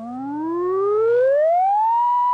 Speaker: most of the test tones in the phone network were generated electronically but this last one was the older type it's a rotating device that has to get up to speed before it reaches the nominal 1 kilohertz at 1 milliwatt